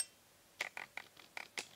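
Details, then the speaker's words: Tokina AT-X 16-28mm F2.8 Pro FX wide-angle lens: quiet room, then six quick high buzzy zips as the lens hunts focus. The autofocus motor is loud, so manual focus is suggested; a squeaking sound was also noticed later. "it's pretty loud so you probably want to do it on manual and you can just do it by flicking it here"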